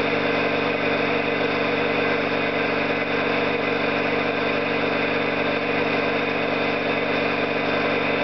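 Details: Orlík 2 JSK 75-2 compressor at one of its first starts after the owner's rebuild of valves and seals, motor provisionally run in star due to the house breaker; steady even pumping beat about three and a half strokes a second, no knocks; normal running.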